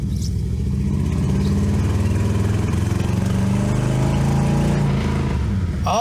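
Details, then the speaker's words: Ford 460 big block V8 in a Colony Park station wagon after tune-up, ignition timing set to about 12–14° base for its cam, power steering disconnected: deep steady idle, even low rumble, no stumble or misfire; sounds better, normal idle. "hey that sounds better it'd be nice to know what kind of total timing I'm getting"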